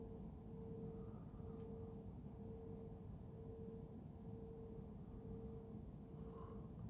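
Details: Mysterious hum recorded at 3am on 10 Feb 2022 from Careening Cove, Sydney, facing Garden Island Naval Base, the suspected source: a faint tone swells and fades about once a second against a quiet night; heard 24/7 from early 2021, stopped 15 March 2022.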